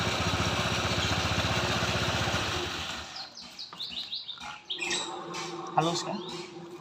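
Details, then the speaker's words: Honda ADV 160 scooter, about 5,000 km and two years old, CVT after replacing the worn pulley needle bearing; previously rough, now a quick, even smooth pulsing drive for about three seconds. Smooth CVT running. "enggak dekatin ya kemarnya tadi kan diginiin kasar tuh sekarang halus oke ya"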